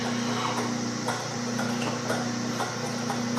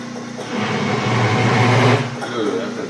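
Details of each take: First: Small lathe drilling a go-kart rear-wheel part with a sharp bit, pilot hole taken to just over 1 3/8: even motor hum with light, steady cutting chatter, no squeal or labouring; the bit is cutting cleanly and well. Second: Small lathe drilling a go-kart rear-wheel part with a 3/4 inch bit: a low, labouring groan with rough chatter; the lathe is overloaded by the big hole.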